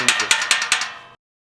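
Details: 2017 Camaro 2SS 50th Anniversary Edition, Corsa valved exhaust (NPP): four quick bright metallic clacks as the loose valve flap rattles inside the muffler while driving.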